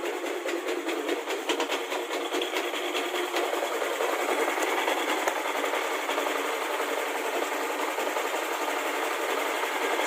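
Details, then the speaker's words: Yamaha NMAX, fitted with a KLX dome piston and a standard camshaft, just fully reassembled with coolant filled. At first start it runs with a busy, rattly clatter and light clicks from the loose CVT slider, which is to be fixed. "CVT-nya agak berisik, penggesernya berbunyi klik. Nanti saya perbaiki bagian penggesernya karena longgar."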